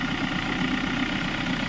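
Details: Hyundai Creta with a battery-drain complaint, after the fan belt was set with an original belt; charging about 14.1 V on a low battery: even, steady idle hum, soft regular pulse, no belt squeal or chirp; normal idle.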